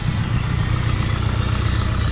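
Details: Nissan 240SX with a built SR20DET during first start-up and break-in, after timing was adjusted: steady low idle with a deep, even rumble and no popping or backfire; it has calmed down into a normal idle.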